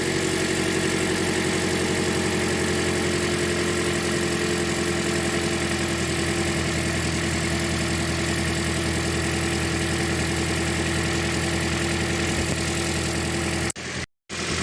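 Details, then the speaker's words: 2010 Toyota Corolla 1.8 L idling with drive belt removed, engine alone with no accessories, aftermarket lightweight crank pulley: steady, even low hum with no clatter or ticking; the clatter was traced to the AC compressor. Normal idle. "so you can see here it's only the engine that's running alone uh away from the accessories there are no accessories right now that are running on this"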